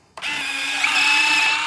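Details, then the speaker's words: Freewing F-16 70mm EDF RC jet V3, Arctic Camo: thin, steady electric whine for under two seconds as the retract landing gear goes up, a whine heard after the gear retracts; normal retract cycle, let it fully sequence. "Because if you don't do it, it has, because I don't know if you can hear that or not, but listen to when the gear goes up, you'll hear a little bit of a whine after."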